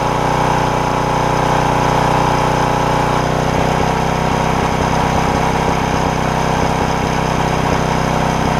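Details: Porter Cable generator, Briggs OHV, repaired bent pushrod and governor (throttle previously stuck wide open): holds a steady governed speed with an even drone and only a faint occasional miss — normal governed running.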